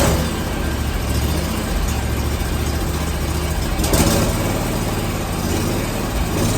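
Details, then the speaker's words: Zero-turn mower with Kawasaki engine, hot restart after 30 minutes running and 15 minutes sitting: catches promptly and idles steadily, no solenoid chatter as before; chattering solenoid believed the cause; normal hot restart and idle. "seems pretty good um i i really think that was the issue especially because i could hear that solenoid chattering"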